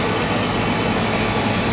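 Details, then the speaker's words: Static refrigerated trailer condensing unit not cooling, compressor B-type breaker found tripped and reset, liquid line hot: loud steady roar, no knocks or cycling; running under heavy load; later condenser cleaned, run capacitor replaced, fan motor oiled. "Found that breaker was off, reset it and it's fired up, so that liquid line's red hot. I think it's probably got a lot of load on it at the moment."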